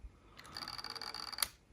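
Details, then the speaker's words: Sony WM-BF604 portable cassette Walkman before repair: brief faint whirring with a thin high whine ending in a click as the tape transport struggles; worn drive belt, capacitors also suspected leaked. "yeah so belt is definitely shot and uh I think capacitors are also are leaked"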